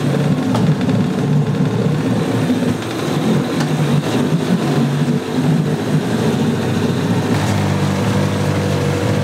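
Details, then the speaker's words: Yamaha 9.9 two-stroke outboard, salty and abused, after clearing a plugged passage and fixing the no-shift problem: steady buzzing beat at even speed, no stumbles; runs, shifts and pees, slight carb spitting, needs adjusting with air silencer on. "It runs, it shifts, it pees. And I've noticed, I'm getting a little spitting out of that cob and everything, but I really need to adjust it with the air silencer on."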